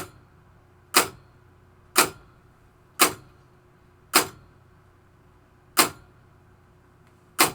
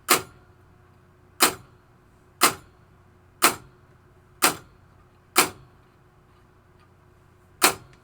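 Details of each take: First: 1973 Williams Travel Time pinball clock pulse unit after potentiometer adjustment: crisp evenly spaced clicks about once a second; clock pulsing at preferred normal speed. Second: 1973 Williams Travel Time pinball clock pulse unit, potentiometer turned down: crisp single clicks about once a second with one longer gap; clock pulse set too slow.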